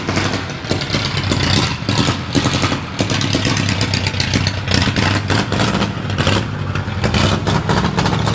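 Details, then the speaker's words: 1937 Ford flathead that sat a year, very loud, restarted to drive to the upper garage: uneven, lumpy running with ragged stumbles and clattering surges instead of a steady rhythm, rough running and missing. "and this thing's not running good at all but is it good enough to get us where we're going maybe"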